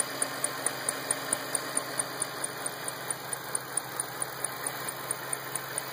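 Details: 2008 Ford Shelby GT500 engine at idle: quick light high-pitched ticking about two per second over steady idle, possibly valvetrain, cause not identified.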